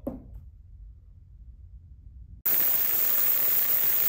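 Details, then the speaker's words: Ultrasonic parts cleaner with its heater on, set for a 20-minute cycle, cleaning 1955 Lawn Boy 8F20 engine parts: it switches on to a loud, steady hiss with a thin high whine; normal operation. "All right, you can hear it pretty loud. Makes kind of a pretty obnoxious noise."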